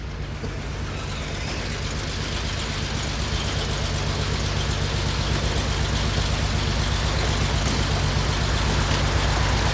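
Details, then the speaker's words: 1969 Porsche 911 T that began misfiring and lost power while driving (burnt valve suspected, excess fuel found in a cylinder), restarted: an even, deep idle with a steady pulse and no misses, slowly settling; now a normal idle. "okay guys let's go right now all right let's check this thing out seems to be running a lot better sounds good"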